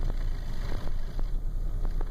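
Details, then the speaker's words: 2001 Chrysler Town and Country, about 190k: low, uneven idle with irregular thumps and stumbles, shaking and dying at stops even on fresh gas; code P0403, which the parts store linked to the EGR/purge valve. Cause suspected, not confirmed. "but it's shaking pretty good very rough idle and Diet stop signs and that's what autozone says is wrong with it"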